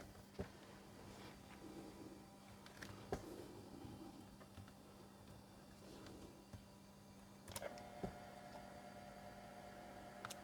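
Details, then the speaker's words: Toshiba Libretto 50CT 1990s mini laptop floppy drive reading a test disk: quiet low hum with scattered sharp clicks as the head steps across the disk, normal seek and read with working access. "the drive is going I can hear the head moving and we have access brilliant"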